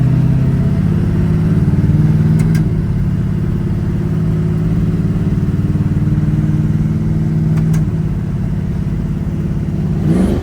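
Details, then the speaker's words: LS-swapped Holden HZ ute V8 revving after removing the windage tray the crank was hitting, which had sounded like bearing knock: deep, even note rising and settling smoothly with no knock or rattle; engine healthy. "And now that the crank's not hitting that, it's nice and sound. The engine actually sounds pretty good, and it's all pretty much ready to go."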